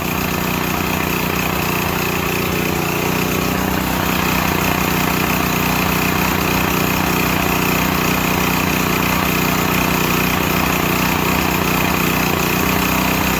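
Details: Used Stanley 8000 W all-weather generator, sat four years, started on starting fluid, meter reads 52 Hz and 7 (possibly 7 hours), new air filter; mic moved farther away, steady even drone, no surging, misses or knocks, seems to work fine.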